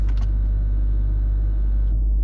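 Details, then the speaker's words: Range Rover L322 3.6 TDV8 Hitachi air suspension compressor: steady electric hum for about two seconds, then clean cut-out once raised, no errors or suspension faults; working normally. "Well we have raised up but the compressor is still going."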